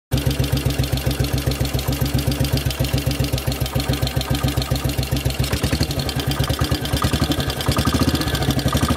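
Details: Model 8 motorcycle engine, recorded cold then hot, with a loud regular thumping knock near four beats a second, rising slightly with revs; more noticeable riding at 40 mph and above, cause unknown.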